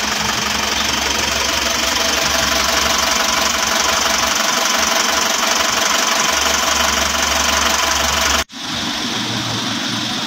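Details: Isuzu Traga engine with a knocking symptom: harsh busy running with a steady knock, about three blows a second, under a loud hiss.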